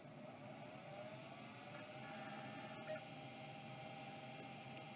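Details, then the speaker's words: Western Digital hard drive that was locked up solid and threw an error code, freed and retried: steady whirring rises then holds even as platters reach speed; spins up decently but needs exercise and oil. "that's going to need some exercise and some oil but I think that's going to come back to life it sounds pretty decent"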